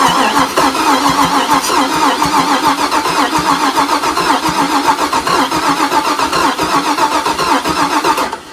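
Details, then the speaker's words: '61 Comet with LS swap and Haltech ECU, sat 26 years, crank-over test only (not starting) on temporary battery: starter spins the engine evenly and briskly, about three to four compressions a second with a faint gallop blamed on sitting; cranking fine. "it's got a little Gallop but it has been sitting a while so I'm going to I'm going to accept that for now but what I I hear is it's cranking over a fine"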